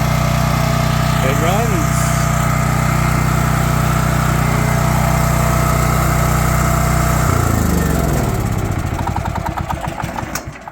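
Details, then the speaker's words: Champion 9375 generator after a rebuild fixing no-start and backfire, valves adjusted, still needing slight fine adjustment: steady, even single-cylinder drone at constant speed with no popping or stumbling, winding down smoothly at shutoff; normal running. "it runs uh it the biggest issue was the valve uh valve uh settings had to adjust it pretty good there now still got to do a little slight adjusting on them making sure that they're uh better but yeah it runs okay so it is up and running"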